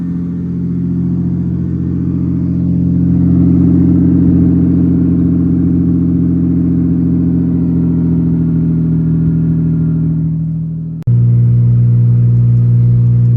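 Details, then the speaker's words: 1988 Ford Ranger driving, heard in cab, muffler fallen off below passenger seat, possibly from snowstorm bouncing: loud deep droning roar booming through cab; exhaust leak from detached muffler, cracking at pipe into muffler. "It doesn't help that it's probably broken like right below the passenger seat there, somewhere in there when it's broke off. So yeah, it's like resonating through this cab"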